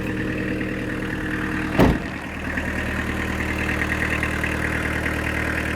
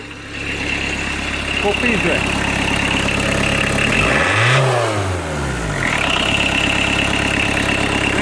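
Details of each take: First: Fiat Doblo 1.9 diesel, about 350,000 km, converted to a mechanical SDI-type injection pump (9 mm pumping head, about 70 hp) with the timing retarded slightly. Steady, even diesel clatter at idle with one brief bump early on, then a smooth settled rhythm; normal idle. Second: Fiat Doblo 1.9 diesel, about 350k km, converted to a mechanical injection pump (SDI-type, 9mm head, 70hp): after a rev it settles to a fast, busy idle set slightly too high; no revs above 3k because the computer cuts it.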